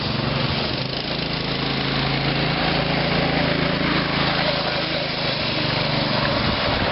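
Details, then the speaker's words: Small engine on a homebuilt reverse trike/quad running at steady speed with a rough, uneven buzzing rattle on top; owner attributes it to the old clutch driver (drive pulley). Some vibration against the gas tank is also mentioned. "so you can hear that you can hear that sound it's from my driver from my driver of my clutch it's old"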